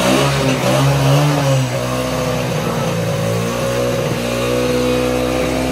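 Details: Used 2004 Yamaha Raptor 80 ATV after long storage, bad gunky gas and a clogged carburetor cleaned: small single-cylinder engine runs steadily, revs up and settles without stumbling or misfiring; fuel system feeding cleanly again.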